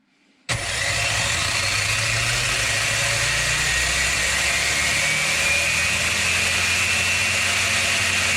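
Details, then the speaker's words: Rlaarlo RC car with Surpass KK 60A ESC and Spektrum SR215 receiver: the motor whines up at 100% throttle endpoint but is capped near 60 km/h. At 110% endpoint the rpm kicks in higher. "so the odd thing is that i was saying wrong also it it's at 110 that it's get a bit higher rpm and it's almost like it's kick in"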